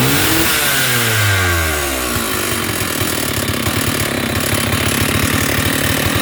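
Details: Stihl 048 Super chainsaw revving down to a rough, uneven idle with a hollow knocking rattle under the buzz; piston slap from a badly worn piston, cylinder still good, main bearings fine, new piston ordered.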